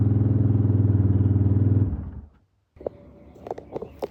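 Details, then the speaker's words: Suzuki DR350 single-cylinder, not run in over ten years, choke off on test run: even thumping about four per second, then shuts off; starts and runs fine after long storage. "But boy, she started up pretty good."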